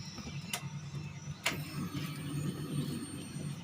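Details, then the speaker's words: 2008 Daihatsu Xenia, engine idling and running normally: a low, coarse, rattly drone from the in-tank fuel pump, likened to a passing train. The pump is worn and rough, so it is being replaced before the car strands on the road. "Nah, suaranya itu kasar, kemerotok. Muni ini kasar, kayak suara sepur lewat. Nah, ini tapi mobil nyala normal."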